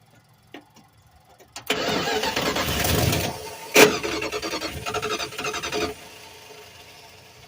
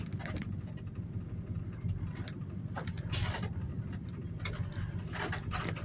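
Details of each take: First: 1986 Dodge W150, mechanical fuel pump, line disconnected from the carburettor to prime: starter cranks hard about four seconds with an uneven catch, then cuts out; not running, fuel reached the line afterwards. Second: 1986 Dodge W150 with pushrod V8 after a mechanical fuel pump replacement, test drive: low, steady V8 rumble under road noise, no stumble, knock or surging; running fine.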